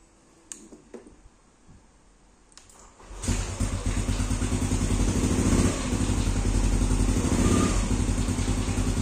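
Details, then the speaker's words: Motorcycle that was hard to start, fitted with a cheap KW KNZ aftermarket starter relay, durability unknown: starter spins briefly, engine catches and settles into an even, steady idle thump; starting and running normally. "Oke, motornya hidup ya. Ini pakai relay yang KW dari KNZ."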